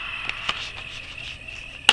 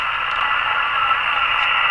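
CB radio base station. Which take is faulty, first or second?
first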